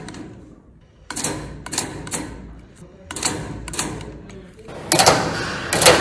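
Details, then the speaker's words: Heating-system radiator valve fitted against its arrow so flow runs the wrong direction: sharp irregular knocks in bursts, about one a second, as the valve cone vibrates; fix is re-installing the valve with the arrow matching flow direction. "okay so you saw many of different bulbs may have such kind of banging or knocking noise in a system why this happens this happens because of only one reason a flow goes on a wrong direction"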